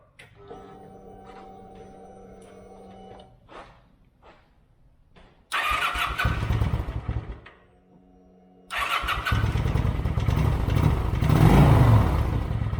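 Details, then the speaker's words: 2008 Kawasaki Vulcan 900 Classic LT first start in 8 years, after new battery, fuel and new spark plugs: cranks, catches and settles into an even, throaty idle; normal start and idle. "wow that sounds like a brand new fight"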